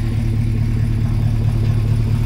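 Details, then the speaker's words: Fresh Gen V V8 swap idling with a low, slightly uneven, muffled rumble that sounds held back; scanner shows idle timing at about negative twenty degrees, retarded too far. "they'll talk to the engine it sounds kind of withheld it just doesn't quite sound right it's really hard to explain"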